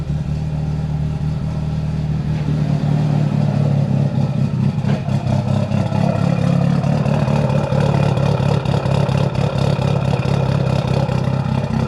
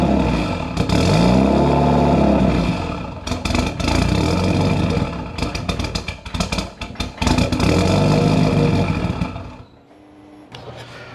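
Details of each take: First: Built Mitsubishi Evo 8 with Kelford 272 cams, after a failed IAC was swapped for a 2000-up Eclipse throttle-body IAC and the tune given more fuel. Deep idle with an uneven loping pulse and slight clatter: big-cam lope. Owner says it's not 100% smooth yet. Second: Built Mitsubishi Evo 8 with Kelford 272 cams and a failed IAC swapped for an Eclipse unit, start attempt after fitting a new resistor. The engine catches and revs with blips and clatter, surges and dies. It won't hold an idle; AEM reads 14.7, cause unconfirmed.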